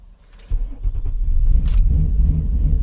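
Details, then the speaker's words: 2007 Nissan Murano 3.5L with an intermittent crank-no-start and no check engine light; brief starter whir, then it catches and settles into a steady idle. Customer suspects the fuel pump; the mechanic suspects a network issue (U1000 CAN and other codes stored). "oh now it wants to start what the heck we don't have a check engine light it didn't start the whole time I was here for the past couple weeks"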